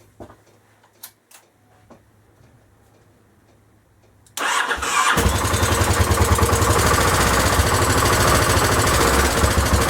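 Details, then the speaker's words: Honda XL1000 Varadero after rebuild, idle speed raised because it ran low and kept cutting out: starter catches and settles into a steady, even idle with no stumbling or cutting out. "well it seems to be a lot better again"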